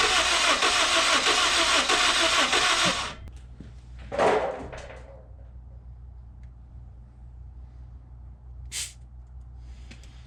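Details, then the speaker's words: Car with a B20 B-series engine, bought as a dead car: about three seconds of quick, even cranking with little resistance, then it stops without catching. Compression sounds low and something may be wrong. "not that much compression we might have something wrong"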